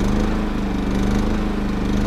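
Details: Three-year-old Champion RV generator, running: steady, even engine drone with constant low hum and no misses or knocks; running smoothly under light load.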